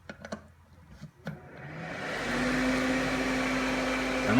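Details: New shop fan rated about 265 cubic feet per minute, plugged in: a few clicks and bumps, then a smooth, even whoosh with a soft steady hum; fan runs quietly and healthy.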